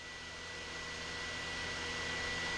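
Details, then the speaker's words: Fristam powder mixer with pump started first, then blender, powder valve still closed: steady high whine over a hissing rush, below 80 dB, normal; the whine disappears once the valve opens to draw powder. "is where you're going to notice when I open the valve to draw the powder, that noise you're hearing, that whine, will be gone."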